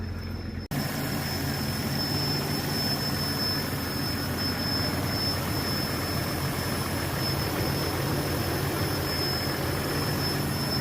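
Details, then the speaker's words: Vehicle running with a thin, steady high-pitched squeal that comes and goes. Owner suspects a vacuum leak, possibly in the evap system since the purge valve was active. Cause not confirmed. "You guys hear that high-pitched squealing noise? That's a vacuum leak. Let's see if I can find out where it is. It comes and goes."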